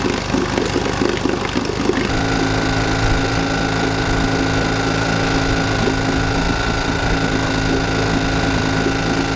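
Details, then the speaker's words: 1952 Johnson Sea Horse 5 hp outboard (model TN-28), revived after sitting 50 years: earlier recording of a slow, lopsided putt with uneven beats and a labouring drone, running so slowly on only one cylinder. "so what did papi from the keys and jacques poirier hear that they knew it was running on one cylinder here it is previously"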